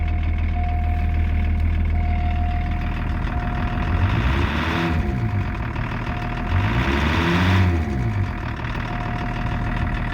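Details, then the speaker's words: 1984 Lincoln Continental with BMW-built 2.4 L inline-six turbo diesel, dual exhaust, claimed 70,000 miles, known charging issue: steady clatter at idle, then two quick revs that rise and fall cleanly; sounds like a typical healthy old diesel. "sounds like every old diesel I've ever driven"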